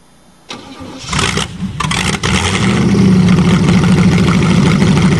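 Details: Hydrolocked Chevrolet, engine almost seized after 7 months with water in it, cold and given more choke: a short crank, a couple of stumbles, then it catches and settles into a steady fast idle.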